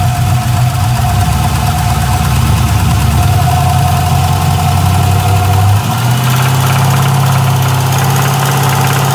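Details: LS1 V8 with a valve train of about 1000 miles (LS7 lifters, hardened pushrods, dual springs, trunnion upgrade; rockers still tight): fast light tick keeping time with engine speed at idle. Runs and drives normally; lifter or spun bearing suspected, unconfirmed.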